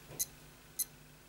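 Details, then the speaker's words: Casio F91W digital watch, working again after battery change and refitting: test alarm held gives three brief, sharp high chirps about 0.6 s apart in a quiet room; beeper clean and working normally. "you can hear that that's working fine as well hold that in the test alarm which is fine"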